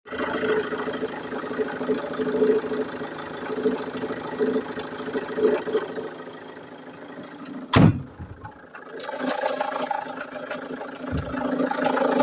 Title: Vauxhall Antara Diesel with weird noise from engine bay. #automobile #garage #crazycars